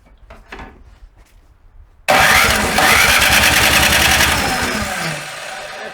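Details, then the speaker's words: Snow blower after summer storage that wouldn't start for the first time in winter; after briefly draining a little gasoline at the carburetor bowl bolts and priming, the small engine catches at once and settles into a steady, even run. Normal start and run. "try to start again and that's what you want to hear it's like small quick let's see"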